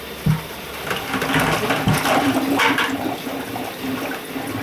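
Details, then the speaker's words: iFlow tankless combination heating system, bleeding the hydronic coil through the return-line drain port: irregular gurgling, sputtering and hissy bursts as trapped air spits into bucket; air purging. "Right there you saw no water. So this is all the air coming out of the system."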